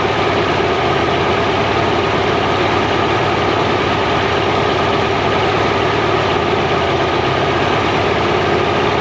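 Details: Mercury inline-6 outboard, timing marks missing, warming up in water: steady idle with faint uneven chuff, one cylinder weak; intermittent weak spark on #3 cylinder; coil later swapped.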